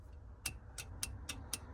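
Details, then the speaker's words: Metro 6R4 Impreza charge cooler water pump wiring: crisp, even clicks about four a second from the switch, not the relay, with no relay clunk; pump not working, dodgy switch earth suspected. "hear it clicking that's a switch click in there not the relay so something's not right even though it's earth and it's the same thing"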